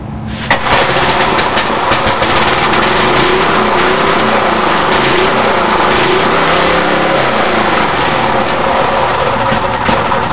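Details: Briggs & Stratton 206cc 5 hp engine on a 1982 JCPenney rototiller, cold start after a broken flywheel key was replaced: fires right up into a strong, steady single-cylinder beat, running normally.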